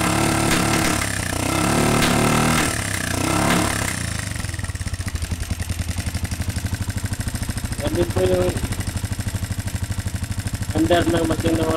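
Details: Honda TMX125 single-cylinder after a new stator and CDI: catches and idles with a loud, rapid tapping clatter and uneven pops; the intake valve is worn thin and needs a valve job.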